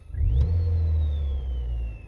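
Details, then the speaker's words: Saturn ION with a cheap 7-inch touch screen double-DIN head unit: whining buzz through the speakers that rises in pitch with engine revs and eases back; engine-speed noise, owner unsure if wiring or cheap unit. "but there's one thing I don't know if like the wiring or if it's just the way how cheap this thing is made but when the engine is running you hear this buzzing noise going through the speakers"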